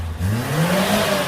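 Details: Suzuki Katana (Jimny) ex-racing engine rebuilt and returned to stock after white smoke; first revs after reassembly. Clean free rev rising and settling evenly, no stumble or miss; white smoke gone, only exhaust dust, engine healthy.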